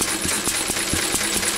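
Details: Even, steady firing beat at about four pulses a second with crisp regular exhaust pops; this old engine runs cleanly and healthy.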